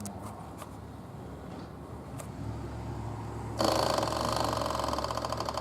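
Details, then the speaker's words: 1100G motorcycle with new LiFePO4 battery and diodes, sat two months: quiet, then a steady high electric buzz as the primer button runs the fuel pump to fill the carbs; normal priming. "I got a primer button so I can run the fuel pump which is down this way so you can hear it"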